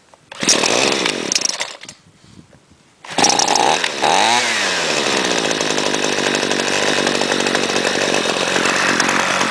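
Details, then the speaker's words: Cold Homelite trimmer with no air filter, primed six times, held at throttle: catches, dips, then holds a high, thin buzzing rev with little burble; owner says factory sets these carburettors too lean for EPA emissions. "anyway she does run and also what I don't like about these hom light models is that the factory sets them way too lean so that way they can meet EPA missions"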